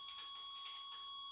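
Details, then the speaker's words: 1989 Chevrolet Suburban that sat 15 years, engine not running, makeshift fuel pump being wired: soft high electronic chirps about every 0.75 s from the dash warning buzzer. The buzzer stops once the coil wire is hooked up; the owner doesn't know why. "And there's that annoying buzzer that my son just loves to hear."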